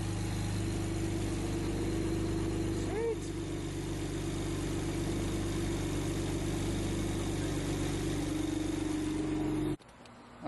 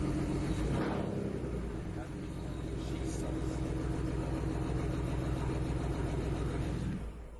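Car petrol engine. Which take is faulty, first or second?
second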